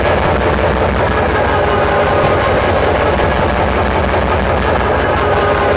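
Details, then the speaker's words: SD45-2 locomotive diesel, previously stuck injectors left disconnected, engine running while each injector is popped via the linkage: loud steady clatter with no obvious misfire gaps. "So what I'm going to do is I'll let it run, and then I'll walk through and pop each injector by pulling back on the linkage. And it'll be kind of noisy, so we'll see."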